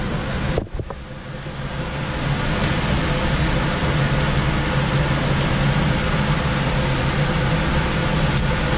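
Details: Coleman DGAX056BDTA manufactured-home furnace, constant-torque ECM blower with 24-volt taps set to high: brief start-up thump then loud steady rush of air, no knocks or scraping; loud blower noise on high speed setting, fix is lowering the speed.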